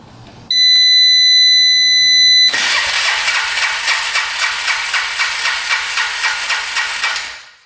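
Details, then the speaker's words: 2002 Polaris Magnum 325 4x4 ATV, non-running, cranked by jumping the starter solenoid during compression test: even chug about four strokes a second; 165 psi compression, very good. "Might try to jump the solenoid and do it. Jump the solenoid."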